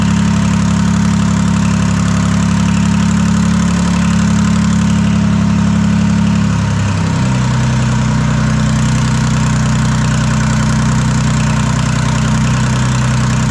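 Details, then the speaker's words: Detroit 3-53 two-stroke diesel first start after 25 years, rebuilt in 2000 with camshaft installed backwards, now reversed: steady, deep, loud idle with no exhaust fitted, settling slightly lower, no misses or knocks. Normal idle. "yeah, she's running really nice."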